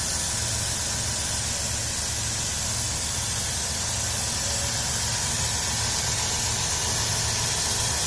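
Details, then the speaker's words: Dodge Grand Caravan 3.3 L, salt-covered engine in winter, heard at the engine bay: even, steady idle, smooth low hum under hiss, no knocks or misses. Healthy normal idle; throttle body cleaning planned. "3.3 liter nice and smooth no knocks or anything"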